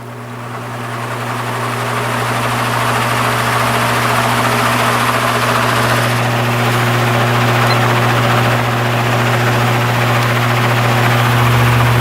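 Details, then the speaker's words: Repaired spare plastic Marco motor with blade from vintage Lasko/Galaxy box fan started on medium speed (blue wire): steady low hum, even air rush, no rattle, scrape or wobble; about .33 A, 108 W; normal running. "And I don't think that'll touch the blade. Let's start up on medium."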